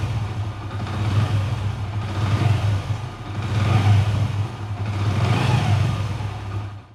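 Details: Hero i-Smart 110cc single-cylinder engine after timing chain noise fix: thump rises and falls with throttle blips, no rattle or clatter on top; timing chain quiet and healthy.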